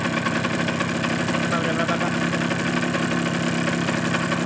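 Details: Suzuki GP100 two-stroke on a test rig, second test after float adjustment, run long enough to get fully hot; rapid dry ticking rattle over the idle burble; piston slap from expanded piston-to-bore clearance, rebore and new piston planned.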